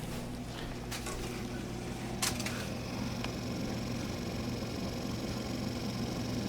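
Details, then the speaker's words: Samsung convection oven after replacing convection fan motor (part DG31-00005A): soft, steady low hum, no scraping, rattling or ticking; fan running smooth and quiet as it should. "and that's exactly what we want that's right from samsung this part and everything so far is nice and quiet it's the way it should be we got a just a slight little hum and you can see that fan is spinning"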